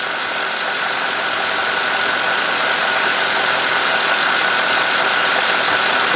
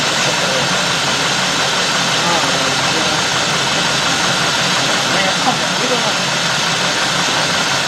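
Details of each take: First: GM 4.6 V8 (Cadillac DeVille class), warmed up, after intake manifold gasket replacement for rough surging idle. 649–650 rpm, closed loop, long-term trim near -2. Steady even idle, smooth hum, no surging or hunting; healthy. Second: 2000–2005 GM 4.6 V8 (Cadillac DeVille class), already warmed up; complaint: runs rough and surges, multiple codes, running worse after parts removed. Loud hiss over uneven lumpy idle; vacuum leak, intake manifold gasket.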